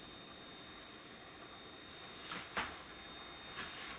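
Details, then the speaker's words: Sharp XM-1801/2001 with new flyback, screen pot turned down: faint steady high-pitched whine over hiss with soft crackles as the picture scrambles; the flyback oscillates with screen voltage too low, and raising it fixes it. "however if I turn this screen pot down you can hear a high frequency noise and look at what's Happening Here"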